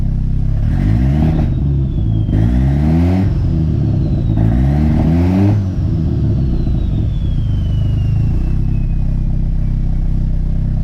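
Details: 240 being switched to straight E85 with VE table and fuel tuning under way: three hard rev blips with rising whistle, then crackling overrun pops and bangs from fuel and ignition cuts.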